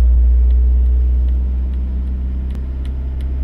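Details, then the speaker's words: Engine at idle, then about 2000 rpm, during Autel DS708 active test forcing mixture rich (+25% fuel, upstream O2 fixed near 0.9 V): low steady rumble shifts as fuelling changes, engine speed dropping then rising. "Now I'm going to decrease my, and you can hear the engine going down, and as you see here, my voltage now on the upstream sensor has reduced down to 0. I'm just going to go back up, and you can hear the engine, it starts rising."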